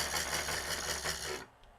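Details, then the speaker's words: 12 V 0.2 A computer cooling fan (model F1202512 SM), microphone touching it: harsh, raspy buzzing rattle with strong vibration from a worn, dry sleeve bushing; fix is disassembling and oiling the bushing. "That is how bad it actually sounds. Let me get the microphone here. Let me touch the microphone to it. It's actually running pretty good right now, but it's really vibrating badly."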